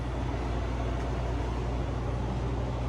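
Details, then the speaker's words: Refrigerated café cooler on R-404A after replacing leaking suction service valve, valves mid-seated: condenser fans on and compressor kicks on, steady even low hum with no knocks, rattles or surging; running normally. "Oh, that's a good sound. I hear the condenser fans are on. I just heard the compressor kick on."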